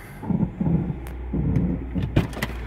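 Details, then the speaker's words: Honda/Acura after replacing the distributor's internal ignition coil, driven out of the garage: an even, low, steady hum with no misses, stumbles or knocks, running normally with no smoke. "out the garage and it sounds like it's normal self alright the car escapes doesn't smoke"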